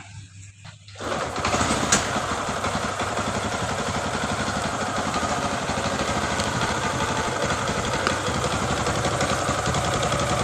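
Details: Honda Supra X 125 motorcycle engine that ran out of oil, rebored with new piston so smoking stopped; busy idle with dull knock about four a second underneath; worn connecting rod knock remains.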